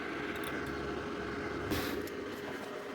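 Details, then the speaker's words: 5.1 manual amplifier with USB Bluetooth board, after temporarily soldering a ground wire to the audio board ground: steady airy fan whoosh only, with no low earth hum underneath. "இது வந்து fan ஓடுற nice மட்டும்தான்"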